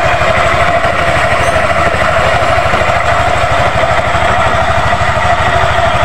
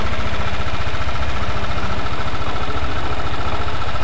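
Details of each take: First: Yamaha NMAX idle, close-up, after replacing the loose V-belt, worn roller housing and roller fan and tightening loose valve clearance: quick, even putter, clatter and knocking gone, belt tight; no crankshaft or boring needed. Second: Yamaha NMAX scooter after valve clearance adjustment fixed the ticking: steady low idle with a loose, uneven clatter on the firing beat and no valve tick; clatter from a slack CVT V-belt caused by worn roller housing and roller fan.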